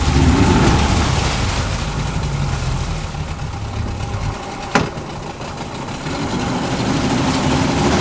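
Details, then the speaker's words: Yamaha 40 HP two-stroke Precision Blend oil-injected outboard in a test tank after carb cleaning, damaged prop roughly straightened. Even burble dips into gear with one sharp shift clunk, then smooth steady running; healthy, reverse fairly smooth. "um all right so that's what the carbs cleaned up seems to run pretty good"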